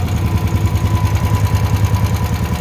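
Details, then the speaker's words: Honda generator after a no-start tune-up (carburetor cleaned, oil changed, fresh gas), cranked with choke on: close-up single cylinder thumps in an even, quick low beat, no skips or hunting; clean normal idle. "Crank it and see what happens. Look at that. idling perfect."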